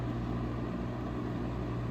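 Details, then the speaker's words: 1970s Lasco 12-inch Super tilting box fan, before restoration, running on low: a smooth, even, deep hum with no wobble, rattle or pulsing; the fan is well balanced and runs normally. "now this despite this being a relatively small box fan it sounds like a much larger fan it's got a nice a full and deep Rumble to it as it runs which is very pleasing to the ears very well balanced too"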